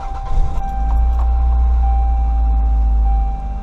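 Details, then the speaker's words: Car at idle after fixing an exhaust leak, flanges reassembled with anti-seize and torqued to 42 lb-ft: steady even low rumble, no ticking or puffing from exhaust joints; sounds sealed, normal idle. "sounds better alright let's take it for a little test drive and see if we can hear it"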